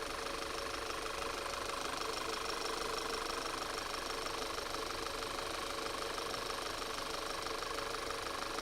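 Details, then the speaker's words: Audi Q5 engine at idle with a steady airy hiss over an even idle that does not pulse with the engine, and fuel trims affected. The vacuum leak was found at the crankcase vent valve (oil separator/PCV). "that's going to be a vacuum but our i mean it's got a heck of a vacuum leak though somewhere oh there it is okay that's where i thought it was crankcase vent valve"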